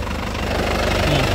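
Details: Isuzu Panther LS Turbo diesel, late 2007, about 103,000 km: steady, even diesel clatter at idle with regular low pulse, no misses or knocks; dry underneath, clean white tailpipe, no visible smoke; engine judged healthy. Normal idle.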